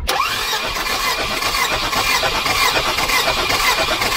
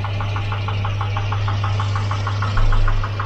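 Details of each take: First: Volvo 240 Redblock B230 cranking during compression test, camera mounted on engine near fan belt: quick even cranking rhythm; healthy compression, about 170 psi on all cylinders despite piston slap. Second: Volvo Redblock B230 four-cylinder in Volvo 240, noisy engine: sharp hollow metallic ticking about six per second over steady idle, too loud and same at any temperature; piston slap in bore.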